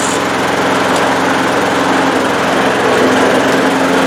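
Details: Old Bolens 21-inch 4.5 HP self-propelled push mower, first start in six months after drive belt replacement, primed: even, steady high-pitched single-cylinder drone with no misses or knocks; runs smoothly.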